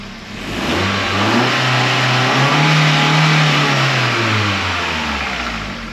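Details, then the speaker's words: MK3 Astra 2.0 16v Ecotec on corrected engine management, out of limp mode, no management light: revs climb cleanly, hold and settle evenly without misfire or hesitation; runs normally, O2 sensor voltage high/low codes still pending. "that just ran with no management light woohoo well it's running fine now it's no longer in limp mode"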